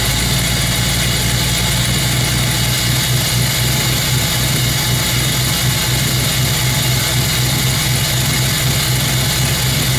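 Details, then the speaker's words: 306 engine idling after repair of a blown gasket that had caused a nasty noise: steady, even idle with a smooth low hum, no ticking or puffing at the manifold; IAC near 100% raising idle, timing around 12° instead of the intended 15°; healthy. "go yeah that's much better I don't know if you can hear that that's the iak at almost 100% which is telling me it's trying to idle it up and then it's trying to adjust the timing"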